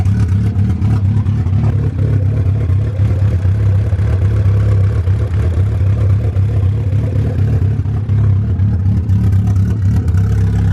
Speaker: Kind of almost has like that cammed sound to it, which I was told it wouldn't from the previous owner of these cams